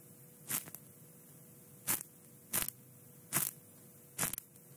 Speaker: ada suara bising di sana. Bunyinya berderak.